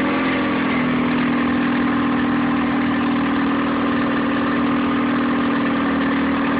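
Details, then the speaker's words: Nissan 9.8 outboard, first start on third pull, cold day, choke on, water flowing: low slightly uneven idle pulsing about four beats a second; idling rough and a little low. "So, started on the third pull. It runs. It's a little rough."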